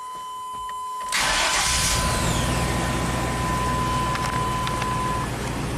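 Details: 1998 Chevy K2500 V8 after new intake manifold gaskets, restarted after reinstalling distributor to fix P1345 cam correlation code: starter whirs, engine catches and settles to a steady, even idle with no misses or knocks.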